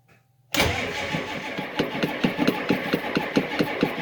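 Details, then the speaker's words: Diesel truck in cold weather, third battery added, glow plugs used (relay suspected bad), owner suspects air getting into fuel after filter change: cranks steadily with even compression pulses about two a second but never starts. "pump [ __ ] it no dice i guess i'm gonna have to boost it with the charger"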